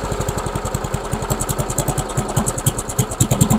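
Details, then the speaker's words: MTD Yard Machines lawnmower with a Briggs engine, running on a test spark plug after the old plug was found coked with oil: choppy firing that hunts up and down at idle; the owner suspects fuel starvation from a clogged carburetor main jet. "at least it's ising I wonder if it's just not getting enough fuel I wonder if it's just simply not getting enough fuel maybe the main jet is clogged"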